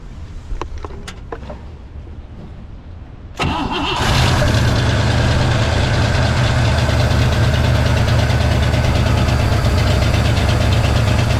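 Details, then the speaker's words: 1963 Pontiac Catalina 389 hardtop, not run in 12 years, cold windy day, first runs: cranks, catches, fast uneven idle climbing on its own without throttle; revs surge; owner suspects fuel pump, also a stuck needle and seat and vented fuel line. "Why did you rev up like that, huh?"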